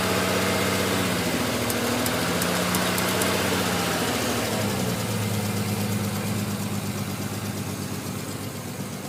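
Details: Non-turbo Nissan R33 idling cold after sitting about 2 days and cranking hard: uneven stumble about three beats a second with a lumpy low drone. It misfires until roughly 10 minutes warm; coilpacks, injectors, gasket and fuel supply checked fine; cause unknown.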